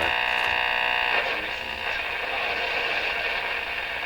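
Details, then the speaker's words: Rogers 11RA651 shortwave radio on the AM band during alignment: harsh pulsing buzz, about four pulses a second, over station hiss. Suspected interference from something in the shop, source unknown. "Just by the way, that sound there, boy, that really sounds like something I used to hear on shortwave. That noise, I don't know what that is, but"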